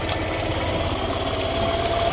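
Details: Yamaha YTX 125 single-cylinder motorcycle, normally fitted with a sidecar, idling after misfire was fixed; quick fairly even putter with faint whine, no misses; runs healthy but still won't move in gear, clutch suspected.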